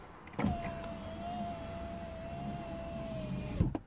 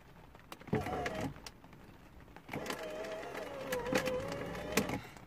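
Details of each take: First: 2008 Porsche Boxster S (987) driver window, after replacing a bad window regulator. Clean, steady motor whine for about three seconds, then a firm stop; the window works properly again. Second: 2008 Porsche Boxster S (987), driver window: each switch press gives strained, wavering motor whine with clicks inside the door while glass stays put; failed window regulator.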